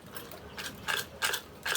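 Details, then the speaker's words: Boat engine starter motor, corroded, turned by hand: four rough grinding, rattling bursts with loose bits clattering inside; magnets suspected gone. Failed starter motor needing replacement. "it's not supposed to sound like that things aren't supposed to fall out like that um it's not good"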